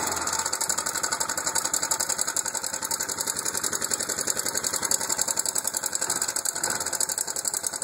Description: Valves or timing chain or?